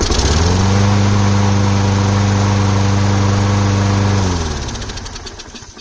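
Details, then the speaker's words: Small engine after carb leak fix with gasket and air filter housing refitted: steady even putter at constant speed, no misses, clean wind-down, no fuel leaking; normal running. "All right, it's working good. I don't see any gas leaking."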